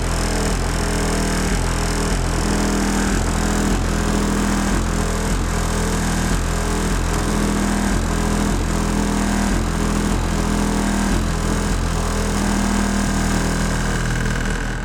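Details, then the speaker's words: 2005 Chevy Impala after trunk rattle fix with felt pads and caulking, driving: steady road and engine drone with light irregular rattles over bumps, much quieter than before; remaining rattle mostly license plate and uncaulked bumper tabs. "that sounds so much better majority of it is license plate and underneath the bumper where I haven't put any caulking yet"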